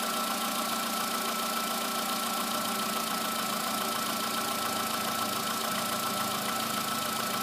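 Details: VW Polo sedan, morning cold start, about 8,500–9,000 km after replacement with modified pistons, oil changed 5,000 km ago: fast uneven ticking knock over steady hum with thin whine; cause unclear.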